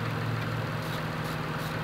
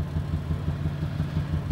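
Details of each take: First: Toyota Highlander idling after the misfire followed the moved ignition coil to cylinder 6 (P0306, flashing check engine light): an even, steady idle hum with no shake or stumble; normal idle. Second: Poorly running Toyota Highlander at idle: rough lumpy idle with deep rhythmic thumping about six beats a second, engine shaking and check engine light flashing from a misfire; no vacuum leaks heard.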